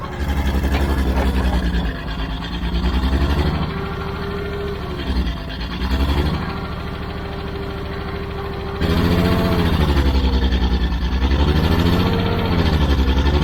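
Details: Old Caterpillar D6 dozer diesel after a fuel problem was fixed, doing a little blading: steady pull, even low thrum rising and settling with load; runs pretty good, normal running.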